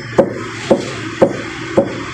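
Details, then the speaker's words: Mitsubishi Outlander EPS steering rack, wheels turned full right, left-side rack tapped by hand: four loose, hollow knocks showing the rack bushing is worn and loose on the rack shaft. "jadi seperti itu bunyinya ya Ada ketukan dia e bahwa busingnya itu udah longgar dengan E rootnya atau asnya itu"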